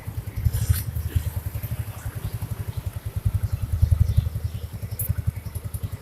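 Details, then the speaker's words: First-generation Yamaha Mio scooter after refitting the CVT cover with the kick-start part hooked correctly: revs with an even low thrum and steady pulses, CVT noise gone; shaft to be greased so it doesn't recur. "Motornya digas melayu, geser sandarnya. Wis bok aman, nggak bunyi lagi."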